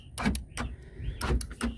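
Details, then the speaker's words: Jeep Cherokee XJ power door locks, passenger door lock/window switch module plugged in during testing: a few quick solid thunks as locks cycle in quiet cabin; switch was the faulty part, lock operation now normal. "Okay, the switch is plugged in. Oh yeah, it's working."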